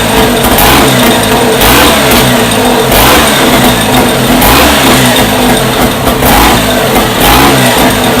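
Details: First startup of a freshly rebuilt Scott two-stroke motorcycle engine, heavily oiled with the pilgrim pump checked: crisp blipping through repeated revs, clean and even, with no knocks or rattles. The rebuilt engine runs sweetly.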